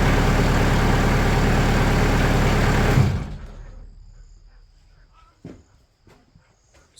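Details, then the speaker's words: Sawmill engine at raised RPM after 80 mil (2 mm) automotive sound-deadening sheets were applied to the doors; it holds an even high-rev drone, much quieter than before, for about three seconds, then shuts off and winds down. "yeah, that's so much quieter."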